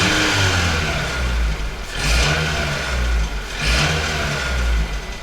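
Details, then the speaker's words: Mitsubishi ASX, 4A92 1.6 L engine, 183,000 km, camshafts and valve clearances OK, no hydraulic lifters: revving with rapid light tapping like a lifter tick; known piston slap from loose pistons. "И, собственно, это для них известная проблема . Поршни стучат. Автомобиль уже проехал 183 000 километров. И, собственно, поршни там болтаются."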